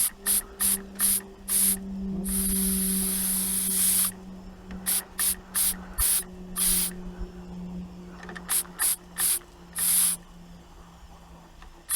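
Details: Inherited antique model steam engine, cleaned up and run for the first time in many years, cold start with little steam pressure: uneven steam hiss bursts, two or three a second, that stall and restart. Struggling on low pressure.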